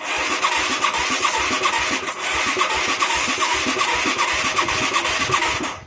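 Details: Mid-1980s Yamaha YFM200 Moto-4, engine freed from seizure, with weak spark and a bad carburetor: a steady starter whirr with three to four compression pulses a second and no firing. The owner suspects no fuel, maybe low compression.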